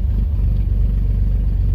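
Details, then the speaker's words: 1994 GMC Jimmy 4.3 V6 CPI, 191,000 miles, first start after new idle air control valve, TPS, MAP sensor, EGR valve, coil, wires and spider: deep, steady rumble with no knocks, misses or surges; idling up smoothly and evenly. "Hey, it's idling up. Didn't used to do that before."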